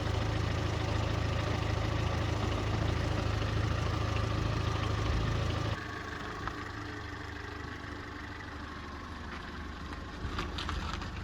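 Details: Fiat Seicento with a recently rebuilt engine, after crash repair and a new complete exhaust: steady, even low idle with a smooth exhaust note and no rattles or puffing leaks; engine sounds healthy.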